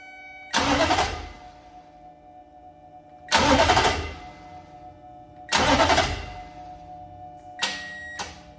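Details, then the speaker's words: 2005 Nissan Titan starter, key off, powered by 12 V hot shot from a test probe: three strong cranking bursts then only brief weak clicks; starter hitting a dead spot, bad starter solenoid, starter replaced. "so there you go we found the dead spot and this is a bad thing because what that usually results in is me in the car with key cranking it multiple times or at least turning the key multiple times trying to get it to crank"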